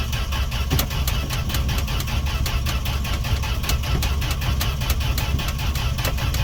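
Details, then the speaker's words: Fargo D100 (Dodge D100) pickup cold start after sitting all winter, gas poured down carb throat, choke on: starter churns evenly but engine never catches; owner suspects no spark, plans to check spark. "I don't know if we got sparked should have popped off by now all right well that was a fail"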